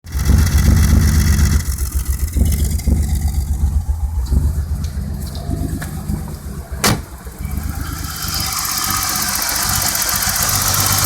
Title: 1987 BMW 535is rough idle